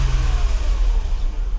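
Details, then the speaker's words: W126 Mercedes 300SEL, M103 engine with 500,000 km, tested after the oil distribution plate was refurbished and reinstalled; warm at about 80 degrees, started on the first turn. Deep, even six-cylinder revving cleanly with no misses, knocks or rattles; exhaust intact; normal revving. "So this M103 engine has no issues. Running 500,000 kilometers is not a problem. The exhaust pipe is also fine."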